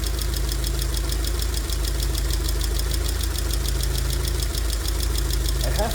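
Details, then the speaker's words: 2002 Rover 75/MG ZT engine, warm at idle with the temperature gauge normal, rather smoky. A light, quick, even ticking about three per second comes from a couple of tappets, suspected to be losing some oil pressure. "but I cannot hear any obviously bad sound from the sound from the entr apart from a couple of taets that's loing a bit of oil pressure"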